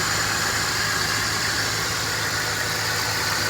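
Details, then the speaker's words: 2006 Dodge Ram 1500 Mega Cab V8, just after new valve cover gaskets and fresh spark plugs, hardest start in years: even steady idle, unbroken rhythm, no stumble or miss; all cylinders firing. "shouldn't be any misfires doesn't sound like a misfiring sounds like it's running on all eight"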